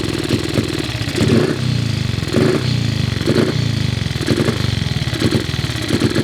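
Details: Cub single-cylinder motorcycle at start-up: lumpy beat surging and sagging about once a second, won't hold idle; carburettor idle screw seems too short to raise the slide enough.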